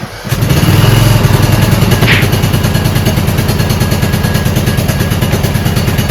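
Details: Repowered Toro Wheel Horse 1438HXL lawn tractor, choked, with a new battery and a stator charging 15 V: a quick crank, then it fires and holds an even, steady thumping idle with no misses or knocks; normal start.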